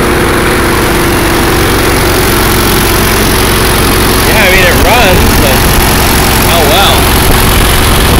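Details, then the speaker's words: Allis-Chalmers 170 tractor, warm, carburetor rebuilt, new plugs, wires and coil, sat two years. Uneven lumpy running with wavering beat sagging as if starved, then stalls; owner suspects fuel flow problem, not ignition. "and we're to gas again so we've got a flow problem"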